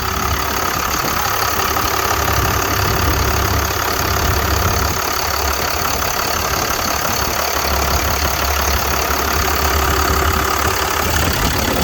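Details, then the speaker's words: 1999 Freightliner FL50 rescue pumper truck, Cummins diesel, 192,981 km: steady idle with even light mechanical clatter over low rumble; typical healthy Cummins rattle, nothing abnormal. "I'm talking over what many of you probably know as a Cummins. You can hear it rattling in the background, but I'll show you what it is."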